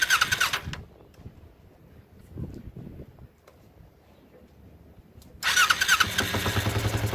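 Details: Kawasaki Ninja project bike with a fuel splitter installed on the carburetors: brief ragged bursts that catch and die, then uneven stumbling idle with sputters, flooding again with the inner carburetor dumping fuel. Rough running; owner blames the carburetors.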